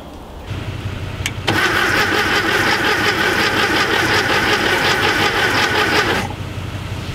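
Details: VW Thing Type 181 sitting since 1989 (32 years), first start attempt on a borrowed Tundra battery with spark confirmed: cranks, catches and runs about five seconds with a lumpy, uneven beat, then dies. Rough running after long storage.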